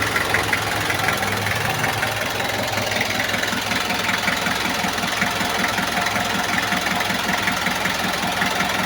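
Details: Kia Bongo diesel with hard starting and white smoke, after new glow plugs: steady idle clatter, even knocks about 2.5 per second, no stumbling.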